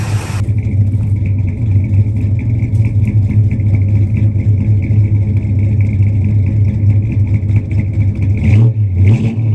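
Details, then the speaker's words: 1965 Dodge Custom 880 V8, unknown mileage, believed stock with an aftermarket cam, running after 3 years sitting on a new carb. Strong idle with a couple of throttle blips and a faint light tick from a slight exhaust leak; no lifter tap, otherwise healthy. "And no lifter tap, nothing. The only tap you might hear on camera, got a slight exhaust leak, but it runs good."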